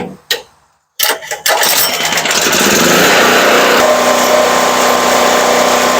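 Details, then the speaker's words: Firman 3650 W yard-sale generator after repair, speed set to about 61 Hz, with a multi-tool as a light load: catches after a couple of pulls and holds a steady even drone that barely changes under load; normal running. "all right it's still running it right on where I had it set about 61 Hertz and you put a heavier load on it it'll probably drop more than that"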